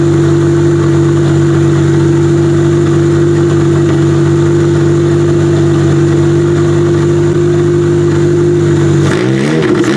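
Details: Demolition derby car started for the first time since end of September (now February) after fitting fuel lines, fuel pump loud: steady even idle hum, then a quick rev rise; runs fine.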